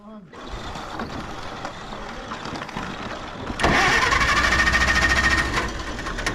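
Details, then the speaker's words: 1960 International tractor, had just been running, possibly no gas: quiet start, then steady starter whir with even cranking beat about three a second that never catches; cranking no-start, possibly from empty fuel tank. "No, it was running a second ago and then it just died. Dad. It was just running. Oh, was it? It started up, it was running, and then it got just gas died. in it? I don't know if it's got gas in it."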